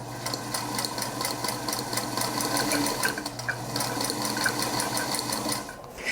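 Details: Singer Featherweight sewing machine running steadily with a loud clattering tick about four times a second; a commonly overlooked cause of noise.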